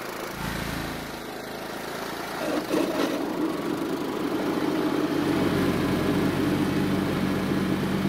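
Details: John Deere riding mower single-cylinder engine, carburetor primed, uneven slightly lumpy idle then revving up and steadying, kept running only with partial choke and dying otherwise; lean running carburetor.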